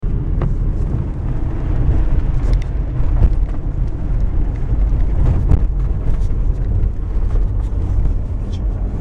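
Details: Toyota RAV4 while driving: dull, irregular knocks over low road rumble, a knocking steering rack.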